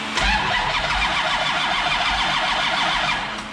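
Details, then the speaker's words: Freshly rebuilt Mopar 511ci V8 with flat tappet cam, cold, start attempt for cam break-in: steady starter churn about three to four beats a second, no firing or catch; cranks but won't start, ignition wiring being checked. "I got nothing. That was your starter."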